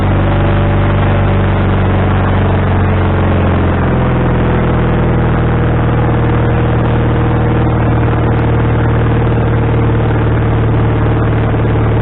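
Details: Wood-Mizer LT40HD sawmill engine with a new carburetor, after the linkage was moved to the correct hole: speed drops after a few seconds, then wavers up and down. The idle is now adjustable, but the engine is still surging.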